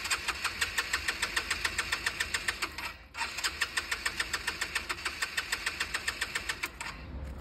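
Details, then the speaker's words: Scooter restarted after nearly two years unused, air filter cleaned and refitted: quick even starter pulses with a brief stop, engine turns over and coughs but won't start; excess cranking risks flooding. "on insiste pas plus faut pas trop trop forcer sur sur le démarreur après tu peux noyer le moteur"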